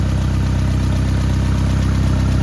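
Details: Ford Escort/Mercury Tracer after fuel pump and fuel filter replacement, first start: steady even low idle with smooth regular firing beat, no knocks, ticks or misses; running healthy.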